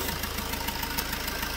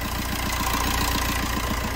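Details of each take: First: Fiat Punto 3 engine at idle before injector seal replacement: fast, even ticking chuff with each firing pulse as combustion gas blows past the injector seals; injector seal compression leak. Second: Fiat Punto 3 diesel after injector seal replacement: steady, even, clean idle with regular firing pulses and no more return-pressure puffing or hissing noise heard before the repair.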